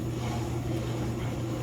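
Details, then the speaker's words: Whirlpool washer tested without water access: a steady low motor hum with an even drone and no knocking or grinding; the drum spins normally. A lid switch bypass is fitted. "this one does spin you can feel it spin it's making noise"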